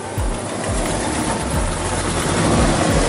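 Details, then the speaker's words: 2008 GMC Sierra truck running with its mass airflow sensor missing: a loud rushing hiss over a low engine rumble as unmetered air is drawn through the open intake. "oh i knew that was gonna happen there's no mass airflow sensor"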